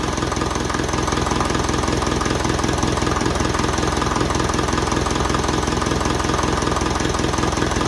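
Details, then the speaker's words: 1955 Ferguson TE20 (TEF) diesel tractor after fuel system work and bleeding, air filter off: even diesel clatter at about 160 beats a minute, steady with no misfire, rattles or vibrations. Normal idle. "Lovely. And there's no rattles or vibrations or that, and I'm very happy with it."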